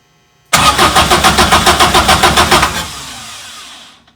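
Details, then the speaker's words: VW Bus with Subaru engine swap, temporary test harness connector, fuel relay disconnected: starter spins the engine in even beats about three or four a second, never catches, no test light flash; crank no start. "no light but we also have the fuel relay disconnected"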